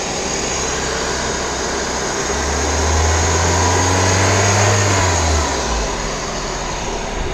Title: VW Vento 1.6 engine noise || Automatic